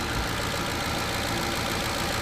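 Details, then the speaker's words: 2007 Ford Expedition 5.4 Triton V8 at idle, hood open: noisy injector ticking with a faint irregular low thumping underneath that is not quite knocking. Possibly a cam phaser, generally on the passenger side; cause unconfirmed. "the injectors the injectors are very noisy on this engine but there's a very low thumping or knocking almost but it's not really knocking"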